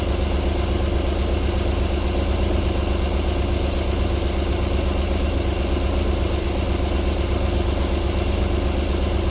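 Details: 1994 Alfa Romeo 3.0 24v QV engine, cold start-up idling silky smooth with a deep, even low beat and no knocks or ticks; a normal cold idle before knocking returns after about 4 minutes.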